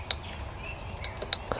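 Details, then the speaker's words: Mountain bike rear wheel, pedalled slowly after a crash: sharp, light metallic clicks once per wheel revolution. The disc brake rotor was knocked out of true and catches the caliper; the fix is truing the rotor. "i'll pedal do you hear that it goes click click click click click click"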